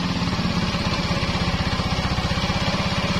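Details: Yamaha X-Ride scooter that had a rough noise from the middle of the engine, restarted after service: even, quick putter at idle with steady pulses and the rough rattle gone, apparently caused by low oil. Normal idle.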